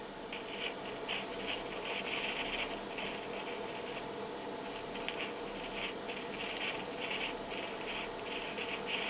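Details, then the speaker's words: Yaesu FT-7800 radio on transmit with PTT pressed and no modulation: scratchy, irregular crackling bursts over a steady hiss, suspected loose connection or broken wire in the wiring; traced to a bad solder joint at the mic capsule ground. "and that is clearly the noise what will be heard uh during a transmission and it seems that it is here something uh in the wiring so maybe a loose connection or a broken wire so both can uh be"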